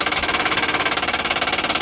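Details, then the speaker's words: 1959 Ford Galaxie Fairlane 500 with the engine off: a fast, even tinny clatter of about fifteen ticks a second from the dash clock's auto-rewind. Unhooking the clock's inline fuse stopped the noise. "we finally got that thing stopped there is action an inline fuse on that clock and as you can see a little short one and we unhooked it now no more noise so it was definitely the auto rewind or or just the clock itself making noise"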